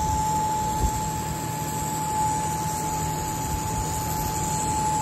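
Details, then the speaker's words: 2016 Volvo Penta 300 hp high-pressure fuel pump bench-tested out of the boat: steady, fairly loud whine with low hum, noisier than expected; it screeched on the engine and the noise was intermittent; failed high-pressure pump suspected, replacement planned. "it's a little noisy a little louder than what we' think so it was actually louder the first time we tested it just a moment ago before we did the video"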